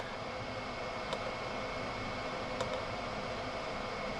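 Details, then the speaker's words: Chinese 5kW diesel heater in motorhome, unplugged before cooling down; fan runs on after shutdown though cold, gauge reads hot; steady airy hum, no winding down; factory reset attempted. "ah, well, there's definitely still something wrong with it, because that fan is still running and that is now cool. There's no heat at all coming out of there. So it should have shut down."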